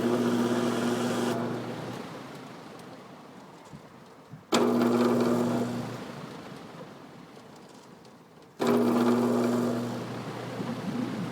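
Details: Chelsea vent fan with a quarter-horse 1750 RPM repulsion-start induction motor, started and shut off right at the switch into induction to clean the brushes: steady low hum with rising tone, fading at spin-down, three times; normal start-up hum.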